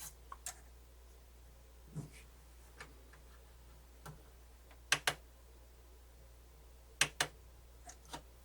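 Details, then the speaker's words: Pioneer CT-W802R double cassette deck, thrift-store unit, powered up on hardware switch: scattered light clicks, paired now and then, about one every two seconds, but transport never engages; belts suspected gone, not confirmed, timers blinking afterward. "okay I actually have to power it up want to see what's happening there okay physical Hardware switch it is some clicky clicky but nothing happening"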